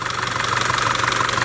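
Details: Audi 2.0 TFSI engine with oily cam adjuster and vacuum pump: rapid, even metallic ticking over the idle; valvetrain knock, timing chain to be checked.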